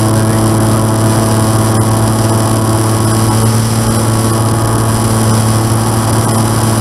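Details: N735D piston aircraft engine at idle after spider replacement, at altitude, on approach and over the runway: loud steady low drone with uneven roughness; abnormal idle noise, cause undetermined.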